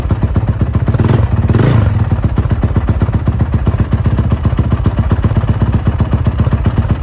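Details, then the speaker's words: Honda 450 engine started after a rebuild following a snapped crank, with loud, busy clatter over a lumpy idle at about four beats a second. The owner suspects loose valves or another top-end problem. "To be honest, the motor does not sound the best. It sounds like the valves might be a little loose or something top end wise."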